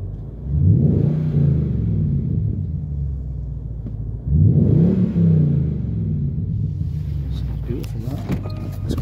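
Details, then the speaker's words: 2008 Jaguar XK 4.2 naturally aspirated V8 automatic, 121k miles, full service history, revved: two quick blips from deep smooth idle, climbs cleanly, settles evenly with no knocks or ticks; healthy. "So there we have it, very nice 4.2 normally aspirated engine."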